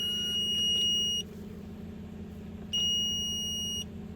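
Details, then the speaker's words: Hyundai Solaris 1.6 G4FC on LPG, 443,000 km, first start after engine rebuild for oil consumption and piston knock: two long high beeps from the gas system over a quiet even idle, then beeping stops. "так давление Всё пошло тут газ пикает пикает чирикает"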